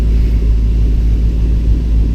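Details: 2006 Mustang Coyote swap with reinstalled T56, warming up at idle in neutral: deep, even idle rumble with steady beat, no knocks, ticks or whines; normal idle.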